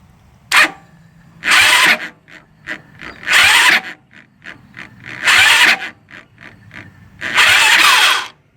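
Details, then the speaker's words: Lifan ZhongWang 163ML water-cooled 200cc pushrod quad/trike engine after valve adjustments: short harsh cranking bursts stopping dead without starting; owner believes spark fires before the piston finishes rising, timing too advanced, kicking back. "that's what's happening there. Is it's sparking before the piston gets to finish rising, so it's trying to push the piston back down."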